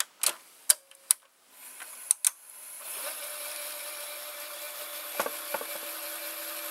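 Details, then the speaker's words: Mitsubishi HS-U51 or Panasonic PV-4942-K VCR (similar mechanism) rewinding a T-20 tape: button clicks then even steady whir with faint hum; not fast because it's a T-20, normal rewind. "this is not so fast no because it's a a t20"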